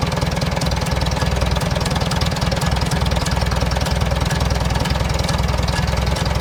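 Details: 1947 Farmall A tractor at idle after idle jet adjustment: even, steady low chuffing about three beats a second, regular firing with no knocking; normal idle.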